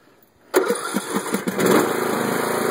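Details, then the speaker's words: Craftsman LT1500 lawn tractor, about one year old with roughly 10 hours of use, cold engine with choke set: brief crank, catches at once and settles into a slightly choked idle; normal cold start, though it stalls later when mowing. "started right up fine a little bit chokey but that's fine"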